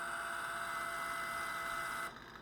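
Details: Electric fireplace fan hum with a steady high whistle that cuts off abruptly, heard after pressure on the fan is released. The cause is a dry, sticking sleeve bushing that needs heavy grease.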